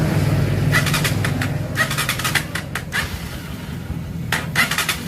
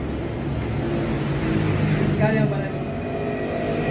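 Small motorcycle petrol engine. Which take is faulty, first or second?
first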